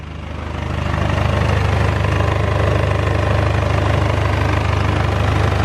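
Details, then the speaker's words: BMW E46 with 200,000 miles, petrol engine warming at idle after repairs, runs evenly with a light metallic rattle from the exhaust; a known exhaust leak, suspected failed flexi on the downpipe; engine itself sounds good. "The rattle that you can hear is the exhaust."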